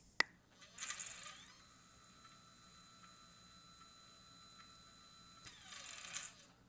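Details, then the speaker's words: HEQ5 Pro equatorial mount, declination axis slewing on the stock gear drive before the belt drive upgrade: steady high motor whine with rougher gear chatter at start and stop; noisy gear drive. "pretty noisy, so hopefully the belt drive upgrade will quiet that noise down quite a bit."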